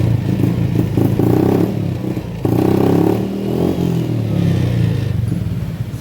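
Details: Honda Beat FI scooter, struggling up to 40 km/h, rough idle, blipped lightly on the centre stand; revs rise unevenly and sag. Fuel pressure normal at 45 psi, hesitation remains; TPS sensor checked next.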